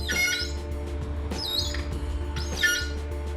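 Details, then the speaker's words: Threading a solid brass bar with a die for a custom Sportster shifter rod: sharp high squeaks in short bursts as the die turns; cutting dry, a little WD-40 or light lubricating oil quietens it. "you can hear that squeaking now with brass because it's soft you don't need a heavy oil to cut that sometimes just a little bit of wd-40 or equivalent like a lubricating oil will do for that job"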